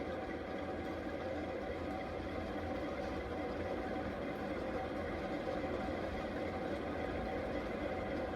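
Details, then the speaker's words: 52-inch Fasco Charleston third-generation ceiling fan on high: steady whooshing with a continuous dry hiss from worn bearings. "But I will note I'm not going to keep this fan on high for too very long as like I said, the bearings are very hissy and you can clearly clearly hear that."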